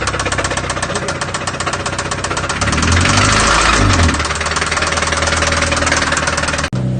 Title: ROD KNOCK civic bangs rod through block